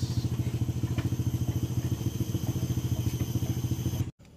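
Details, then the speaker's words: Honda Vario 125/150 scooter starter, after cleaning relay and relay housing still rapid even clicking about three to four per second with no cranking; cause found as burnt ECU socket; starter clicking with no crank. "teman-teman setelah saya ma melakukan pembersihan di bagian relay ternyata starter dia masih bunyung ctik-cetik ya teman-teman"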